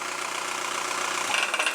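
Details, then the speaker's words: Skoda Octavia idling: a tinny, loose metallic rattle from the exhaust that fades at shutoff, heard most on startup or lifting off the gas. The catalytic converter's ceramic has cracked and come loose and is knocking inside. "бачте який звук ще раз заводимо От він так але виключаємо все воно б'ється із-за того що кераміка в каталізатор це керамічні вона відстала вона трісла і вона б'ється знаєте"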